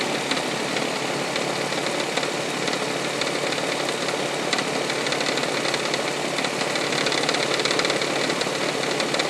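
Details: 1999 Toyota Sienna at start-up idle with a light uneven tapping about three times a second, like something hitting the valve cover; began after six NGK iridium plugs and oil change, also heard around 2300 rpm driving; cause unknown.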